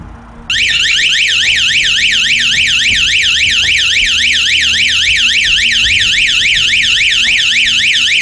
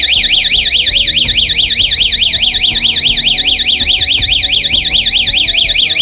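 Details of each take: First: 12-volt outdoor motion-sensor alarm siren, one of four tested, powered by hand-held connections: loud, continuous rising and falling electronic wail at about three or four sweeps a second. Not as loud as the previous siren; normal operation. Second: Electronic siren on 12 V with a motion sensor, on test: loud warbling siren sweeping up and down about twice a second, steady and unbroken; the siren works fine.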